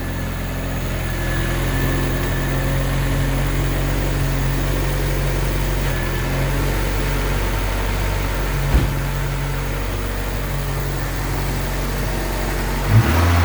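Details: AWD Honda Civic EM2 with new turbo and new full 3-inch open exhaust (no baffles, ovalized pipe), just after first start: low, even drone with a steady pulse, no ticking or leaks, clearing water and condensation; runs smooth, quiet and healthy.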